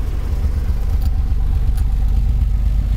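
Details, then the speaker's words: 1990 Nissan 300ZX V6 with a 5-speed, a parts car with a damaged body from a ditch; steady deep idle rumble with an even low pulse and no knocks, ticks or misses, no check engine light; normal idle. "Not a great body. Good engine, you can hear it run."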